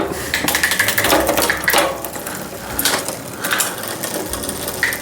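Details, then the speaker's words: Trek FX 7.3 hybrid bike in the stand, in the high front gear: light irregular scraping tick as the cranks turn, the chain rubbing the front derailleur. "okay A little bit of rubbing here in the front derailer when I'm in the high gear I'm turning the barrel adjuster out up on the lever get rid of that rubbing"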